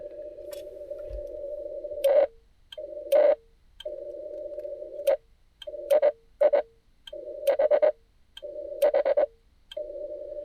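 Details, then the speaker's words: Xiegu G90 on 30 meters, keyed by a PicoKeyer, with coax from a roof magnet-mount antenna going straight into the radio. The steady CW keying tone is spoiled by sharp crackling bursts at key-down. Reflected RF coming back into the radio is suspected, not confirmed; a homemade choke is planned. "So I believe that's RF energy coming back into the radio, okay, with using the PicoKeyer."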